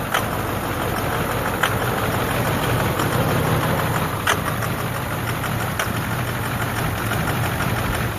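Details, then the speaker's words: 2009 Ford F250 6.4 Powerstroke diesel, cold idle: a loping, stumbling idle with sharp uneven knocks and fuel-reeking smoke, skipping every second or two. A misfiring injector is suspected at #7, which was then replaced; #3 was also acting up. "It started loping. See the smoke? That's not good. And the smoke, oh, it just reeks of fuel."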